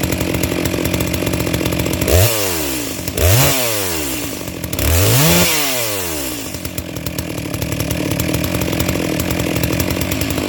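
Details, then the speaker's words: Brand-new Neotec NS892 (Stihl MS660 clone) chainsaw on first start out of the box: blips rise soft and burbly rather than crisp at the top. Carb set on the rich side, judged fine for new equipment. "it sounds like it's pretty close where it's at yeah it's definitely on the rich side but that's fine with a brand new piece of equipment"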